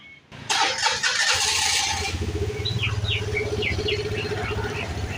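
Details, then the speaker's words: Vespa LX 150 i.e. fuel-injected scooter after CVT service, no parts replaced: engine starts and settles into a smooth, even idle, the earlier harsh clattering from the CVT area gone. "ya ini sudah halus sekali teman-teman ya sudah sangat [Musik] [Musik] mantap ya sudah tidak terdengar lagi ya keletek-keletek parah seperti awal sebelum kita bongkar ya teman-teman"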